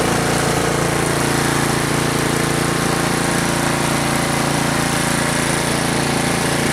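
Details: Troy-Bilt Storm 2840 snow blower small engine, warmed up after a choked start, idled down: even, steady low-throttle putter with no misses, knocks or rattles; running smoothly as it should.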